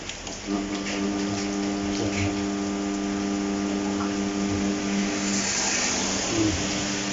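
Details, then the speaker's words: 16-inch electric fan (model SDS16M4) on speed 1, hand-spun to start: steady low electrical hum for several seconds without clean spin-up, motor sounds underpowered; fails to self-start, run capacitor (1.5 µF, 400 V) to be checked next. "เครื่องจะมีเสียงมอเตอร์ร้องเสียงทางๆเนะครับเหมือนกำลังมอเตอร์ไม่ถึงนะครับ"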